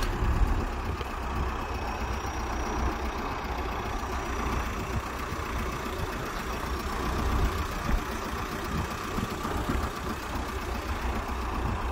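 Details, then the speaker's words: VW Golf MK4 TDI after alternator replacement to fix screeching when turning the steering wheel: even diesel clatter at steady idle with no belt squeal or chirp; problem fixed. "As you can see, that was the problem. We fixed that"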